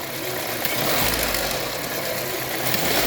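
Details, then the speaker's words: Idling petrol engine in a workshop, air conditioning on, wheel arch liner removed: light uneven metallic rattle over a hissy running sound, heard more clearly when revved; suspected timing chain rattle. "nie my tutaj to stawiamy z miejsca na ten łańcuch rozrządu"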